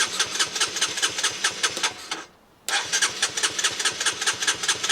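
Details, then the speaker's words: Honda CBR125, 8,700 miles, after replacing injector, fuel pump and old fuel: cranks briefly, pauses, catches and settles into quick even putter; starts cleanly, likely fuel pump fault worsened by old fuel. "so the bike now runs and unfortunately we've changed three things we've changed the injector the fuel pump and the fuel"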